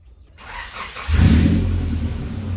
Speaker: And this is what it sounds like if it was open header.